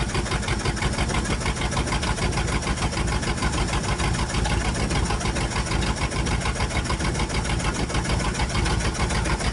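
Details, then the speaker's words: 1962 Dodge 100 truck, first start in 25 years: quick even ticking over rough idle from one side; owner suspects rocker arm or pushrod off, no rod knock, little smoke or blow-by; later found stuck lifter. "Like we may have a rocker arm off or a push rod or something. We can pull valve covers later and check it out, but I don't hear any rods knocking or anything."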